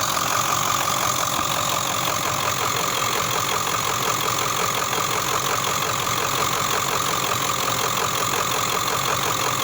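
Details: Ford OBS 7.3 diesel at steady idle: harsh clatter with a sharp knock repeating evenly about three a second; engine knocking, cause not pinned down.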